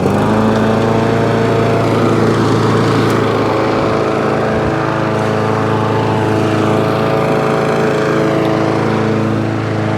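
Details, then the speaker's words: Free scrap lawn mower being run up, smoke now cleared, brand new air filter fitted: runs steadily but slightly uneven and lumpy with a faint hunting note, sounding a bit dopey; cause unclear. "so there you go the spokes now all gone smoke's now all gone but it does sound a bit dopey it does sound a little bit dopey"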